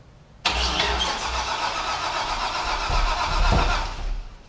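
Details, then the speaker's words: Corvette C5 Z06 with a bent frame being straightened, first start-up: quick crank, then catches cleanly and settles into steady even idle with a light blip; sounds like it needs power but runs okay. "It sounds like it needs power. I don't want to jump on it too hard, but it runs! A nice plus. Sounds okay."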